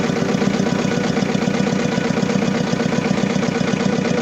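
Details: Diesel engine with low power, black smoke and vibration, at steady idle with a rhythmic stumble about four times a second and an uneven shake underneath; misfire from a fuel system fault.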